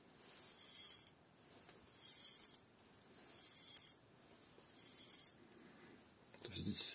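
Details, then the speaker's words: Frame of a 37-litre Khmelnitsa home automatic brewery shaken by hand: five crisp metallic rattles from leftover rivet pieces loose inside the hollow tubes, harmless, frame itself solid. "эти трубки полые, и внутри болтыхаются остатки вот этих вот заклепок. Понятно, это ни на что не влияет."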